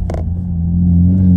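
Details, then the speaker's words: Mazda 6 1.8 naturally aspirated 120 hp with the muffler gutted and no exhaust valve fitted, heard from inside the cabin: a loud, deep, steady boom that swells slightly with revs. Exhaust drone from the gutted muffler. "mais ça bourdonne trop c'est que j'aurais dû mettre un clapet j'aurais pas dû vider le silencieux sans mettre de clapet parce que ça bourdonne c'est désagréable"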